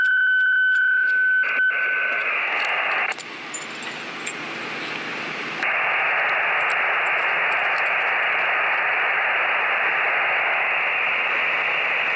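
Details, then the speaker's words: Yaesu FT-817ND ham radio on a random wire antenna while camping: after switching from a clean-sounding antenna, a loud, steady hiss buries any signal and the noise floor is unusable. Fans are suspected as the source; not confirmed. "it's so noisy, it's not even usable. So initially, I'm not even going to bother testing this. I won't hear it. This would not be usable with this much noise."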